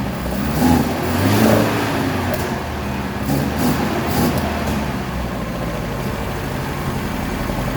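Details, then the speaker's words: 1976 BMW 2002, Weber carbs, big camshaft, long-tube headers, ANSA exhaust, after 22 years, after fixing way-off points gap, checking dwell and changing coil: brief throttle blip then steady, fairly even idle, no misfire or stumble. "out run pretty good it runs pretty good at least that's probably about as good as was going to get"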